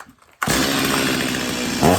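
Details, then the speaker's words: Stihl MS250 chainsaw after carb tuning (high and low speed screws richened probably more than a quarter turn), warm no-choke restart to check reported hot-restart trouble: fires straight away, slightly burbly uneven idle; tuned a little rich. "I definitely got it tuned a little rich on the high speed and the low speed both do a little turn back"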